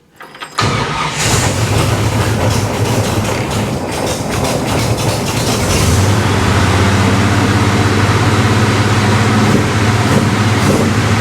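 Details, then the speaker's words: Burnt-down 1955 Chevy Bel Air, first start after carburetor replacement, fittings without Teflon tape: engine catches at once and climbs to a loud steady fast idle that stays high, screaming; fuel leak found. High idle. "I think while I'm over here, I'm going to turn the fast idle down just a hair. She was kind of screaming up there, wasn't she?"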